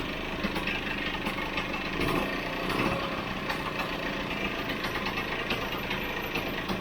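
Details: Vespa GS150 two-stroke warming up after a kick start, before carburettor tuning: a rapid, busy crackle holds steady but ticks over too quick. The idle needs turning down with the airbox removed.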